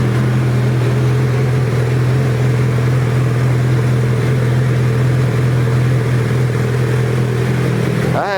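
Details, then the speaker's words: Suzuki Hayabusa GSX1300R after a wreck, idling in neutral with a deep, even, steady drone and no misses, ticking or exhaust leaks; normal healthy idle. "Sounds really good. I don't feel any exhaust leaks coming from anywhere. That's what a 1300 should sound"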